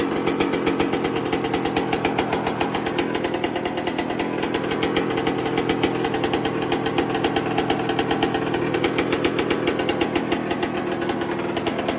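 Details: 1999/2002 Yamaha YZ125 converted to YZ144 two-stroke, first start after full restoration and carb rebuild kit, long-sat: sharp even crackle of rapid firing, crisp steady rhythm, no misses or rattles, sounding loud and crispy; normal healthy idle.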